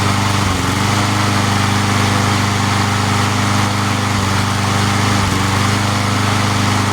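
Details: Free junk lawn mower engine after repair, restarted after sitting about an hour: steady, even low putter at constant pitch with no misses or surging; idles cleanly.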